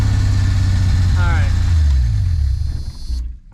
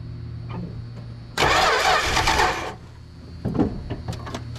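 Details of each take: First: 1974 Plymouth Duster slant six with 904 transmission, sitting since 1987, first run after priming with fuel: settles into an even, steady idle with no misses or pops, then is switched off because it has no coolant; runs healthy. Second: 1974 Plymouth Duster slant six, 904 trans, sitting since 1987, gas poured in with choke open: long hiss, then steady cranking with uneven pops as it tries to catch but never runs; lack of fuel supply suspected.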